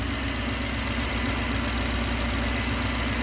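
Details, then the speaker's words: 1969 Gloria supercharged V8, first proper start: a light, steady knock at idle, about four a second, that sounds like a rod bearing but is the cam cover baffle being pulled down by crankcase vacuum. "it'll get louder and louder as you pull crankcase vacuum pulls the baffle inside the cam cover down and touches against henshaw you take it away and the noise goes awa"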